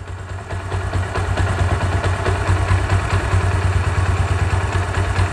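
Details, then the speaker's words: Discover 135 single-cylinder bike, second-hand, just after a full engine rebuild (new gasket, cylinder refitted, valve guide work, original camshaft), silencer untouched: even idle with light mechanical tick; will smooth out as it frees up and tappets are adjusted after 2,500–3,000 km. "বাইকটা free হয়ে গেলে আরও smooth sound হবে।"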